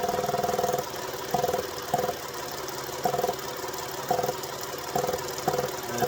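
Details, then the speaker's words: 2010 Ford Fusion 3.0L AWD being diagnosed for P1450 at idle: a soft buzzing pulse about once a second as the EVAP purge solenoid is plugged back in; normal purge solenoid cycling, with no leak from its port. "And it pulses. You can hear pulsing."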